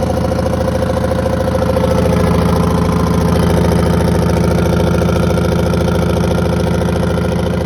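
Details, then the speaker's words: 1982 Silver Eagle tour bus, Detroit 6V92 two-stroke diesel, parked 6–10 years: steady even idle, smooth low drone, no knocks or rattles, started easily with oil pressure; normal idle. "so it appears everything's operational up here i can't believe she started that good"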